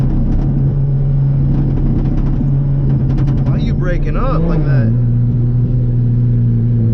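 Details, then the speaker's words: Supercharged 3.7 V6 car: the screaming engine note wavers and stutters with ragged bursts, then drops off; breaking up at high rpm, cause unknown. "can all hear that no she's breaking up she hate in life i don't know why so that thing is screaming"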